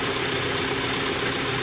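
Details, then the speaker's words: Daihatsu Zebra Espass just started, running without the fuel pump relay fitted; even, steady idle with constant hum, no misses, knocks or hunting; healthy engine idling. "Bismillahirrahmanirrahim kita coba Nyalakan nah ini sudah nyala teman-teman tanpa menggunakan relay mobil saya tidak menggunakan relay ini ya relaynya belum saya pasang"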